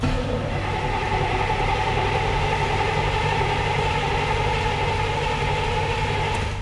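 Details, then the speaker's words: 18,000-mile IROC-Z Camaro abandoned 30 years, fresh battery and fresh fuel, first start attempt: steady starter cranking about three to four turns a second with no firing; suspected no fuel delivery. "I'm going to give her a little bit of gas and see if she'll fire up. I don't think she's getting fuel."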